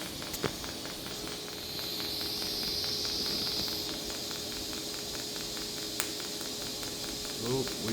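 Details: TIG arc at 200 amps in a repeated arc-start tungsten electrode durability test near the end of the run: steady arc hiss with faint hum, then irregular sharp pops as the tungsten tip breaks down.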